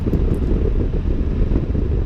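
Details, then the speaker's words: BMW F30 335i with electronic exhaust flap, sport/manual mode, hard throttle from 2nd gear up to about 6000 rpm: deep pulsing exhaust boom with dominant low rumble, "BOM, BOM, BOM", normal sport-mode sound, not felt louder. "Da macht es halt eindeutig BOM, BOM, BOM. So. Für mich aber als Empfinden nicht lauter."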